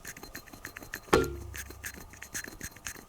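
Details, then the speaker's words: Elves Vanyar one-piece bike frame's supplied bottom bracket, spun by hand at the microphone: gritty, uneven rasp with a sharp knock at start on one side, other side okay; suspected bearing defect, rough bottom bracket bearing. "can hear it. It's just rough. That side's okay, but that side, there's something not right with it. I think there's a bearing fault in there, defect already."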